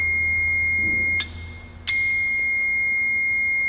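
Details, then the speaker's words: Relay test with a continuity meter across the switched high-current contacts while the coil is powered: steady high-pitched beep drops out briefly, then returns and holds, confirming the relay contacts close properly. "now I know this relay is good I knew it was good before I started but now I've confirmed that this relay is good"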